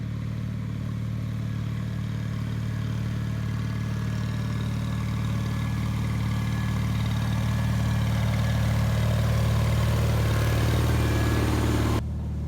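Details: 1974 Bolens HT20 garden tractor on a test run at dusk after replacing a burned-out coil (it had stalled, apparently from a fuel issue): steady, even low drone with a smooth firing beat climbing slightly under throttle, no misses or knocks; running healthy.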